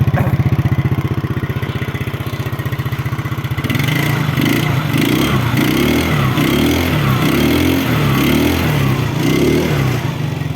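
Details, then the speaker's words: 2009 Yamaha Mio scooter single, kick-started: quick, even putts settling into a steady hum with no misses or knocking, and no smoke from the exhaust; smooth, healthy idle. "Hidup. Aman. Mesin halus ya. Halus mesinnya seperti ini."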